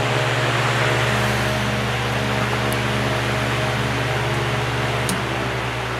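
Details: Patton box fan, shaded-pole (believed Samsung) 1.2 A motor, on high: steady even hum with smooth airy rush, no rattles or ticks; 1.12 A draw.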